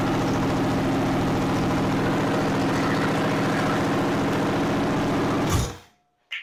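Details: 302 V8 budget rebuild with a temporarily hooked-up carburetor and fuel line: a steady, even idle lope for five seconds, then a clean shutdown as the fuel pump feeds the carb. Runs fine; a fuel filter leak was found after.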